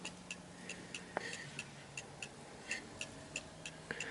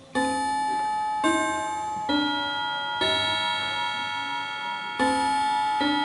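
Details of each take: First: Antique Davison Bros London clock after being nudged left and right to find beat center: crisp evenly spaced ticks about three per second, balanced tick-tock; clock in beat and running properly. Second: Antique Davison Bros London chiming clock, just switched from silent back to chime: bell-like notes strike in uneven, wrong order as the chime train catches up with the time; normal after switching, not a fault.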